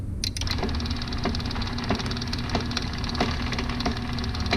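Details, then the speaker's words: Used garage door opener, rail and chain being extended for a 12 ft door, run by shorting the wire: low motor hum with sharp clunks about every second, including a couple of really bad ones. "but i don't like that clunk and it made a couple really bad ones um in between"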